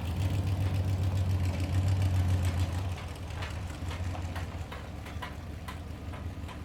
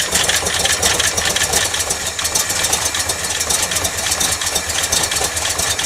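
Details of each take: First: 1989 Dodge D200 V8 on a road test after new camshaft bearings, an oil pressure fix and timing set to 35° total advance at about 2800 rpm. Deep, smooth rumble pulling steadily and easing off evenly, with no misses, knocks or rattles: normal running. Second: 1989 Dodge D200 on its first start after new camshaft bearings. Fast light ticking over a fresh idle with top-end clatter comes from a ticky lifter expected to quiet down soon; a leaking braided rubber fuel line was then found.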